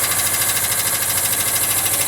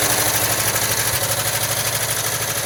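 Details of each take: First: 1979 Volkswagen Westfalia flat-four, cold start after sitting, running rich: fast, light ticking over a steady cold idle from hydraulic lifters still pumping up with oil, quieting down as it runs. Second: 1979 Volkswagen Westfalia with rebuilt engine and new Porsche hydraulic lifters, after cold start: lifter ticking much reduced, fast even light clatter about three beats a second over a steady idle like a sewing machine; normal.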